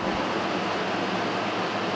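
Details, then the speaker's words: Restored 1956 Western Auto Wizard Rol Aire fan, model 6J3605-A, fully cleaned, on high: soft, even airy whoosh with no ticking, rubbing or hum; quietest it has ever run. "That's it. This is the quietest this fan has ever ran. It's completely clean"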